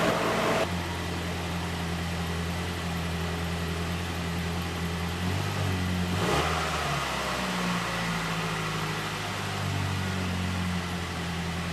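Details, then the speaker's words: Ford Ranger after new exhaust fitted from behind the catalytic converter to the back: even low engine drone with a brief rev rise midway, no puffing or rasp from a leak; normal exhaust note. "well let's start it up and see which thing sounds like this got to be better than it was before"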